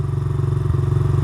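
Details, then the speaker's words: Dirt bike carb (mixture screw on engine side, air or fuel screw unknown), engine fully warmed up: fast, even single-cylinder putter stays high after a rev instead of dropping back; hanging idle from a lean pilot mixture. "So, right now you can hear it has a hanging idle. I just revved it up and it's still idling high."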